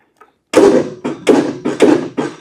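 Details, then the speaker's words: 20+ year old John Deere L110 lawn tractor, jump-started from a known-good tractor battery: five heavy clunks, engine turns only partway and stops; not seized but not turning over fully, cause still unknown. "It's It's still not turning over all the way. So, the engine's not froze up. I mean, it definitely moves, but it's only rotating a little bit."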